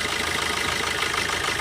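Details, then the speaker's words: Diesel car with injector four disabled through an OBD2 scanner app. The idle is uneven and lumpy with harsh clatter, and the engine shakes heavily as that cylinder drops out. "यह दिखाई देता है, लेकिन अब engine में बहुत अधिक भूकंप के झटके शुरू हो जाते हैं।"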